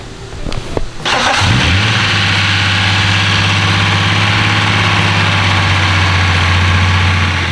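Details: E36 BMW wagon after engine swap, second day running, warming up: catches after a brief crank, then idles with busy loud top-end clatter over the exhaust note from bled-down lifters; coolant system still needs bleeding.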